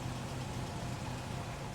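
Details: Vintage engine on a Snap-on Counselor II scope during automatic shorting test, each cylinder killed for five seconds: low, uneven idle with a regular stumble. Killing cylinder one dropped RPM by 231, with other cylinders differing. Single-cylinder misfire.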